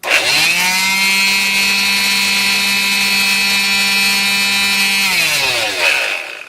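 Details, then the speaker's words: Black and Decker orbital palm sander after repair, with a cracked switch boot removed and bad wiring and loose connections soldered: strong, even high buzz that spins up cleanly, holds steady and winds down smoothly; normal running with no burning smell. "Now you can see that sounds pretty darn strong for such an old tool that's been beat up and used and abused and still"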